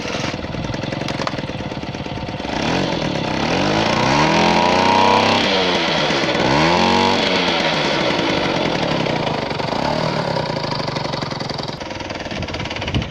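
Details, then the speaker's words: Garelli moped (possibly Brianza) with apparent Laura M48/M56 engine, drill-started: raspy two-stroke buzz rising and falling with throttle, chuffing spit from exhaust leaking in all directions, no drive take-up as clutch isn't engaging. "so you can still see the exhaust leaks coming out from all directions"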